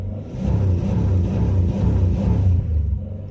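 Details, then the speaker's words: 2000 Chevrolet Impala 3400 V6 with new fuel pressure regulator, fuel pump and filter (owner suspects MAF): idles fine but dies on sudden or full throttle and often won't restart; uneven rumble surging then fading as the engine stalls. "off the throttle to the floor it stalls won't start fires up ease into the throttle to the floor it dies"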